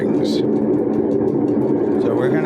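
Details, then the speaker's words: Whirlpool WTW8240YW0 top-load washer in its spin cycle: heavy, steady rumbling roar like a freight train that ramps up as the drum speeds from low-speed rotation; worn tub bearing. "you can start to hear the grally sound right now and it's in the low speed rotation now you can hear it ramping [Laughter] up and that sound is the sound of bad bearings"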